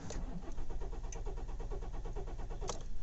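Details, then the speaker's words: Kia Ceed/i30 CRDi diesel, cold engine at 12°C, after the glow plug light goes out, before fuel filter replacement: long steady cranking before it starts, where it normally starts instantly. Economy is also down; owner suspects the fuel filter. "all right it didn't start there that was quite a lengthy crank there we go start it now"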